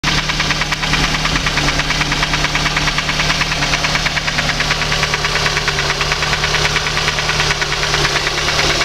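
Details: VAZ 2115 engine at idle: sharp regular metallic knock, a bit over two per second, over the steady idle; engine knock.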